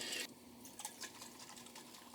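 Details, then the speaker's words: 1978 Dodge Power Wagon W150 fuel sending unit removed, gauge always reading empty: shaking the float gives soft liquid swishing; float is full of gas and leaking, no continuity or resistance change, unit must be replaced. "move your float up and down no changes whatsoever and it sounds like there is liquid in here yes and it's leaking"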